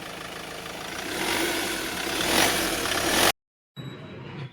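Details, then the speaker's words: Mahindra Xylo with a squeaking belt complaint, started with the AC belt removed: engine starts and revs cleanly with a smooth rush and no steady squeal; no noise from the AC compressor or adjuster bearing. "என்னண்ணா noise இல்ல race விடுங்க."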